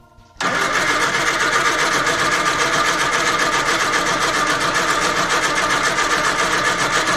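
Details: Morris Minor van, first start attempt after sitting, leisure battery, easy start and warmed with a blowtorch: continuous even cranking about three and a half turns a second without running; cranking, no start.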